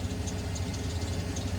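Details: 1994 Ford F-150 petrol engine idling with a steady low rumble; first start without the rattling that had been present since day one and had gone away once warm, after the timing was worked on.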